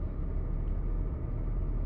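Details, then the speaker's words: BMW E39 Touring awaiting LS swap, at operating temperature with temporarily joined wiring: runs fine to any rpm, then falls back, hangs, drops further into deep uneven wavering rough idle, possibly misfire; owner hopes fresh gas and new coils help. "it's doing this weird like it will run fine up to any RPM and then we just let it fall back it'll sit for a sec and then it'll fall further and it's just a rough"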